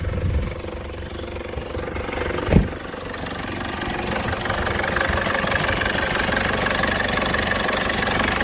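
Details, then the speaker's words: Cummins 2.8 diesel in Foton Tunland, first start after injectors repaired to cure a knocking: one clunk at start-up, then steady even idle with no knock; normal diesel idle. "I'll give it a REV now and then we'll hear if it makes that knocking sound again but so far it sounds sounds good sounds really good"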